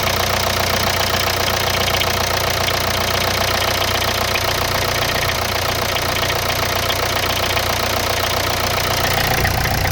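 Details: Hyundai Santa Fe DM 2.2 diesel, cold start: steady light knock about four per second over the idle, disappearing after 3–5 minutes of warm-up; owner suspects hydraulic lifters, origin uncertain.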